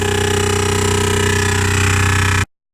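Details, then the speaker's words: 2015 Renault Grand Scenic with Bose sound system and R-Link: harsh fast even drilling-like buzz from speakers continuing with engine and audio off; fault in the Bose sound system, resolved by Renault. "So, diagnosis required to find out why the Bose speakers are making violent noises like a compressor drill, even when the sound system is turned off."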